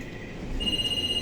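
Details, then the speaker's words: Coach air-brake test, brake pressure lowered until low-air light came on at 70 psi (standard 55–75 psi), then coach started: fast high ringing bell pulsing about ten times a second; low air pressure warning. "That bell you hear is the low air warning. It will go off once it gets out of that range of 55 to 75."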